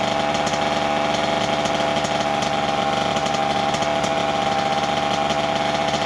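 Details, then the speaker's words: 1988 Kawasaki KX80 two-stroke, first start in 15 years after a new piston; earlier flooded. Buzzy, crisp note holding a steady high pitch with even firing, no knocking: running properly. "voilà enfin enfin enfin il a démarré cette ruche je n'y croyais plus du tout"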